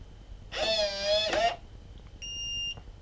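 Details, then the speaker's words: Kevo smart deadbolt, newly installed, door shut and latched, cycled by touching it with the key fob on you: a short warbling chime, then a single clean beep as it locks and unlocks normally. "it'll lock and unlock. So pretty cool."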